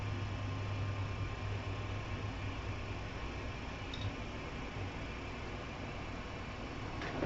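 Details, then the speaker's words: Afinia H479 3D printer, powered on and initialized with the switch: beeps, then a steady low fan hum with faint movement noise near the end as it finds its home position; normal startup. "now I'm going to go ahead and connect click down on the switch and you'll hear a series of beeps the fs will start on the printer and it will start to find home"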